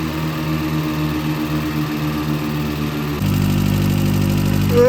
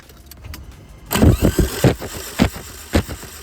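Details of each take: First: 65k-mile VW Corrado G60 at first running after starting attempts: light quick ticking over the idle that smooths out as revs are raised; owner suspects a hydraulic tappet ran dry of oil; hydraulic lifter tick. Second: Corrado G60 with 65k miles, spark plugs out, likely out of fuel and with immobilizer trouble: starter spins the engine quickly and lightly with no compression pulses, binding or knocks; engine cranks freely.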